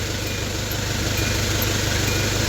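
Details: Vehicle that was hard to start, traced to a weak battery; steady low idle with an even beat and no misses, stumbles or knocks. Engine running normally.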